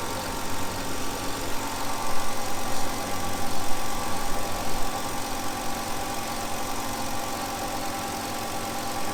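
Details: 2005 Hyundai Sonata V6 idling just after new coil packs were installed, replacing old ones suspected of leaking electricity. Steady low idle hum with an even beat, no stumble or ticking, over light background noise.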